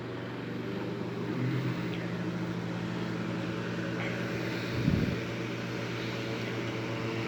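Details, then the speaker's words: 1940s desk fan running with a steady low motor hum, shaking undertone and occasional knock; a badly bent blade throws it out of balance. "it is vibrating which is not to be unexpected i already knew it vibrated"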